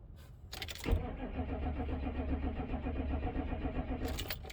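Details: 1996 Chevy K2500 6.5 turbo diesel after fuel line repair: after a key jingle the starter turns over steadily about three seconds but never fires; likely air in the fuel system, lift pump cycling, and the truck may need bleeding again.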